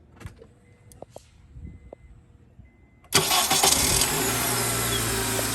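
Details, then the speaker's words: 2003–2007 Honda Accord 2.4 K24 after starter replacement with an aftermarket unit: a short crank catches right away and settles into a steady idle, though the starter sounds somewhat weak. Normal crank and start. "Sounds good. Not gonna lie, it sounds pretty weak."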